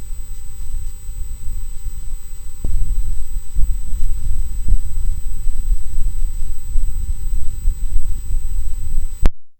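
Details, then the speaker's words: Focusrite Scarlett 1st Gen interface, mic preamp input: after some time in use the preamps grow far too noisy, with a loud deep rumbling hiss, irregular throbbing pulses and spikes under a thin steady tone. Excessive preamp noise. "okay and there you have it to me that kind of problem just should not happen even with the more Budget Home production interfaces"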